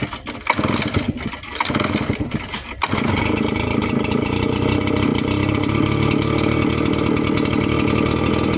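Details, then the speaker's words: Red Max leaf blower after replacing a loose, vibrating blower fan that had made a loud noise. Pull-start fumbling, then the engine catches and settles to a smooth, steady drone with no rattle. Normal running after repair. "d I'm certain we're not going to hear that noise anymore but what you will see is probably a lot of smoke come out of that"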